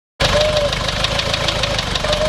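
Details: Toyota Surf 1KZ-TE diesel after two minutes at 3000 rpm, then stalling and a hard restart: idle with a sharp, regular metallic tick about four times a second and an uneven beat, smoking; knock and misfire, owner suspects head gasket, appears to be consuming antifreeze.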